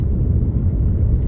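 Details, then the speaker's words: Audi TT Mk1 turbo on first test drive after repair, driving through village at speed limit: even low engine drone under road rumble, no turbo rattle or whine; earlier whine thought to be turbo bearing/casing was actually an air leak, now fixed; normal running. "there's no rattle from the turbo there's no wine from the turbo that Turbo that I was hearing which I thought was a turbo bearing or a turbo hitting the casing was actually Idiot by the way was actually air air escaping an air leak"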